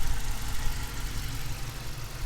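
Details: 2018 Dodge Challenger R/T Shaker 5.7 HEMI V8 petrol/LPG, about 47,000 miles, just had fresh oil, idling: deep steady rumble with even beat, no knocks or ticks; healthy idle.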